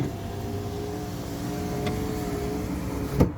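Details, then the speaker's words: Project Ruby after broken window regulator repair, window driven from bottom to top: smooth steady motor whir without straining, ending in a firm clunk; window now works, though the cam has occasionally slipped. "wow how about that it wouldn't have done that before"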